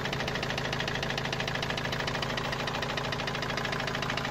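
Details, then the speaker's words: Opel Vivaro/Movano turbo diesel, parked for weeks after noise began about two to three weeks ago: sharp, even hammer-like knock about three per second over idle; source unknown. "الصوت ما عم نعرف منين الصراحة، صوت مثل المطرقة يعني."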